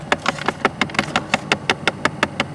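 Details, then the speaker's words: 2011 Chrysler 200, customer complaint of clicking inside, engine idling: sharp even plastic clicks about five or six a second from the broken outer right-hand blend door actuator, felt vibrating by hand; actuator to be replaced. "and I can actually feel that one up here on the right hand side and that one was actually making the noise could feel it feel it vibrating"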